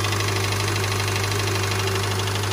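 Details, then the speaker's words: Subaru engine at cold idle with a light, fast diesel-like ticking slap, heard all around the engine: piston slap from cold, smaller pistons, which quiets as they warm and disappears when revved, considered normal. "the Pistons are a little they're colder so they're a little smaller so so as they heat up they take up that space that makes it slap and you don't hear them"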